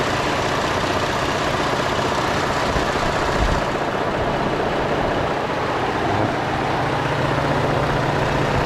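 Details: 2013 Ford F-150 3.5L EcoBoost auction truck at steady idle: faint, fast, uneven ticking rattle over the engine, loudest by stethoscope at the mechanical high pressure fuel pump, found to be the source.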